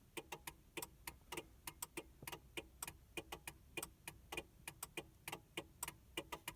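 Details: 2000 Mercury Cougar after battery replacement, won't crank: quiet sharp clicks repeating unevenly, about a hundred a minute, no cranking; PATS immobilizer blocking the start, fixed by a new key fob battery and locking and unlocking.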